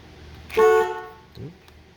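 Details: Lincoln after turn signal switch replacement: one firm, steady single-note blast about a third of a second, clean and loud; horn working as it should.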